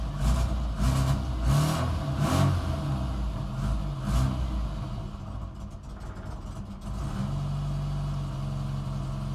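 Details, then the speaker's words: Barn-find Austin Maestro starting after fresh oil and filter, with the choke fully in. It catches, then runs lumpy with uneven revs into an unsteady idle. The carburettor still needs a lot of adjustment. "yeah we've still got a lot of adjustment to do there haven't we at least it's running now"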